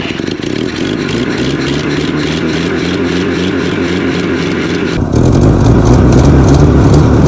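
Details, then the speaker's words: Toyota Stout pickup (1964–67) with 3R four-cylinder engine, abandoned since 1984, running on a makeshift old Datsun carburetor with choke: lumpy, uneven running that picks up sharply with throttle, so it runs rough after long storage. "She does want to run, but she's just grumpy and old."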